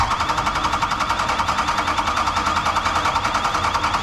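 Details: 2003-2007 5.9 Cummins diesel after fuel injector replacement and tightening a drip: steady diesel clatter at about three and a half beats a second, even with no misses, a little smoke from oil and brake cleaner clearing; healthy idle.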